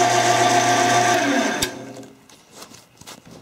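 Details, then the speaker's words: Chief machine: machine hum with a fast, fairly even metallic rattle, about four per second, until spin-down; owner suspects a cracked belt wobbling over the idler and doubts a dry bearing. "see this kind of sounds like a metallic kind of rattling and that maybe that uh that crack in the belt just wabbling over that idler"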